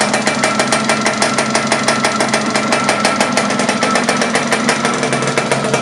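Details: Laverda LB 125 with Zündapp KS 125 WC two-stroke engine, first starts after rebuild: quick, crisp popping at a steady rate with a sharp metallic edge, firing evenly. Normal running.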